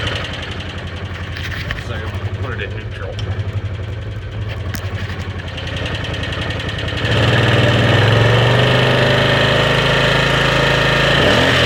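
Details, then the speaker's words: 2013 Arctic Cat Wildcat 1000 H.O. Limited at idle: quick regular tick, about four per second, following engine speed, seeming to come from the rear top cylinder; owner doesn't think it's the clutch; cause unclear. "Not as clutch, you can hear the tick. Not as loud over here. Sounds like it's coming from the back top cylinder."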